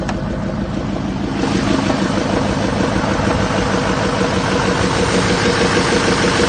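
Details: 2007 Chevy 3500 Silverado with 6.6L LMM Duramax diesel, parked at idle: deep steady knock about two beats a second under the diesel clatter, from a spun crankshaft bearing.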